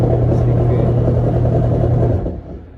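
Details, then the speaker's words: 20 kg washing machine after repair of the wash motor's bushing, reassembled and powered on: steady low even hum running smoothly, then winding down quietly with no grinding or knocking; motor now works normally. "Y ahí ustedes pueden escuchar normalmente, sea que de Ya la pueden ver ahí trabajando lío, o sea, que el problema era el casquillo de ese motor."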